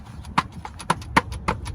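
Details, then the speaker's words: Mercedes-Benz GLK350 (2008–2015 model years) rear end: light hollow uneven plastic clacks over bumps from a loose rear plastic trim cover; fix by replacing its clip or adding a zip tie. "rattles like that when you drive so if you're hearing a noise rattling noise when you go over bumps it's that thing right there need new clips on"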